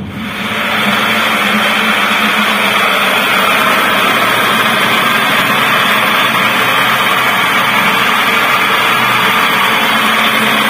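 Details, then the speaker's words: Older Toyota Avanza at only 20 km/h, owner complains of roaring at high speed: steady coarse roar under the car, even with no knock; worn propeller shaft center bearing. "untuk kenyataannya di sini untuk gemuruh atau suara kasarnya itu sangat jelas ya mungkin di video kurang begitu jelas padahal ini kecepatan hanya 20"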